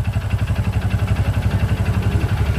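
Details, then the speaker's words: Honda Supra X 125 motorcycle with a rough-running engine: rapid rough knocking pulses, roughly ten a second, over the idle, coming from the middle of the engine. A sign of a damaged connecting rod. "dan ini salah satu ciri-ciri stang piston yang sudah kena"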